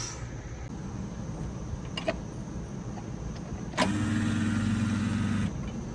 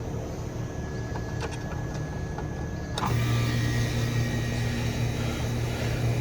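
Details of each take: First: Residential central AC outdoor unit with a not-cooling complaint and abnormal compressor startup sound, after a new capacitor was fitted: a loud hum holds about a second and a half, then cuts out without the compressor starting; the hard start kit is bad. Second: Residential central AC outdoor unit with a not-cooling complaint, new capacitor fitted and a Supco Super Boost SP6 hard start kit just installed: quiet fan hum, then at three seconds the compressor starts with a firm steady low hum; clean start, no struggle.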